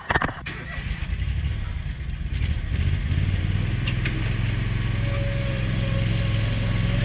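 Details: Scag mower under cutting load: loud low engine note with pitch swelling and easing unevenly instead of holding steady, surging badly; cause unknown.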